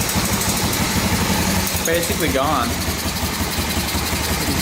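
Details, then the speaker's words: 1986 Honda Fourtrax 350 4x4 ATV single-cylinder, after adjusting intake and exhaust valves to 0.003 in: steady even idle with only a faint occasional tick; earlier ticking basically gone, normal idle. "ticks sometimes but that's basically gone"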